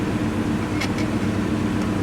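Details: 1998 BMW 540i 4.4 V8 idling with a low, slightly uneven hum and faint stumbles; vibrates, code 156 cylinder 7 injector misfire, suspected wiring fault, loose connector contact causing voltage drop.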